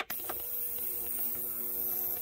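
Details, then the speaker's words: Ultrasonic cleaner with heat on, cleaning 1969 Yamaha DS6 carburetors: even, steady electrical hum with a faint high whine, no rattles or buzzing; running smoothly and much quieter than the previous unit. "oh that's way quieter than the last one i had cool let that run"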